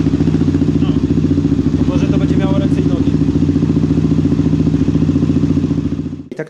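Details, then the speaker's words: Honda TRX 400 single-cylinder ATV after carburetor adjustment and jet change: steady, even beat at fast idle, regular firing with no misses or hunting; holds revs well. "teraz fajnie obroty trzyma"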